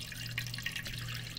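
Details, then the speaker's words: KitchenAid/Whirlpool/Kenmore refrigerator water dispenser after water valve replacement, running into a bucket. Water flows with irregular spits and sputters as trapped air escapes over a low hum: normal air purging, and the line then holds without drips. "so water's coming out that's a good sign you can hear the air escaping"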